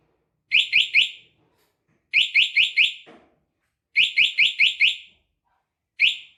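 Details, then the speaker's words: Remote starter alarm installed on a motorcycle, tested at low vibration sensitivity after locking with the padlock button: bursts of three to five sharp high chirps every couple of seconds as the bike is disturbed; vibration alarm triggered. "[ بند پیڈ لاک بٹن دبا کر لاک سلیکشن ] [ لو لیول وائبریشن حساس ٹیسٹ ]"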